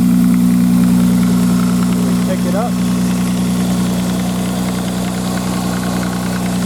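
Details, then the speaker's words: 1995 Nissan Maxima, cold-weather start: light, fast plastic-on-plastic ticking about three or four a second over a steady idle, gone after about three minutes warm; owner mentions an exhaust leak and tensioner problem, cause unconfirmed. "I'll get her going here and I'll show you what I'm talking about kind of a tick tick and they got an exhaust leak apparently this is a tension there problem on this engine [Music] but it only does it when dartnet up cold for the first sounds like plastic on plastic"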